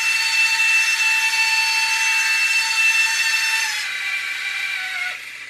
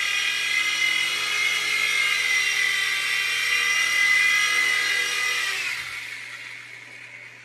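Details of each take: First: U809 Air Attack toy RC helicopter after LiPo change: thin high motor whine that sags and fades as a pinion gear slips on the motor shaft; fix is super-gluing the pinions back on. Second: U809 Air Attack toy helicopter flying after a new LiPo and super-gluing the slipping pinion gears to the motor shafts: a steady high motor whine holds evenly, then winds down smoothly, indicating normal flight.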